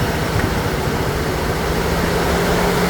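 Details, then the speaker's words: 2015 Chevrolet Silverado just started, customer says it runs wrong, with O2 sensor codes: uneven, stumbling low beat under loud cooling-fan roar; misfire at idle. "All right, customer states that this truck is not running right, but listen to the fans. I just started this truck. Listen to the misfire."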